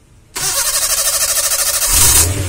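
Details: Suzuki Carry 1.0 that stalled suddenly, restarted after replacing failed spark plug wires with temporary ones; cranks briefly and catches at once, settling into a steady, even idle with a quick rev rise; normal start.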